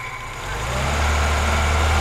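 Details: 1991 Moskvitch IZH 412 sedan built at Izhevsk, practically at operating temperature, microphone at the engine: low, steady, smooth idle swelling gently as rpm is raised slightly, no misses or tapping; normal idle and light revving.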